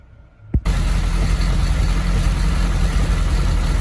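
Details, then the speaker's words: Triumph TR7 with rear wheels off the ground, idling along in first gear: a steady low engine drone with no regular knock, so the rhythmic knock heard while driving seems to need the suspension loaded and appears to come from the front right. "Well, that's it in first, and I cannot hear that regular noise. That means it's got to actually be on the suspension to do it."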